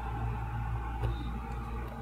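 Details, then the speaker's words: Mabe refrigerator that smelled burnt and stopped cooling, reconnected after repair: steady, even low hum with soft fan whir, no knocks or rattles; compressor starts and fan runs normally. "enseguida se oye que arranca el compresor y vemos también que el mirador funciona"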